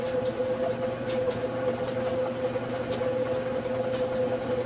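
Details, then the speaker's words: General Electric washing machine motor that would not start, run directly from the wall on a homemade test cord with red and blue wires on one side, turning clockwise: steady even hum with a constant mid-pitched whine, no knocks or wavering. Motor runs normally. "when you connect the test cord to the wall outlet the motor should run on a clockwise direction or"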